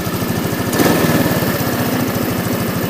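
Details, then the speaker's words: Scooter with 139 engine (Orbit), 62,850 km, after carb fix for stalling when warm: even single-cylinder putter at steady idle, no misses or spitting; idle may dip while warming, which owner calls normal. "інколи обороти тіпа на прогріві падають Як на мотоциклі це норма ми просто підгазовуємо і він поступово виходить на свої обороти"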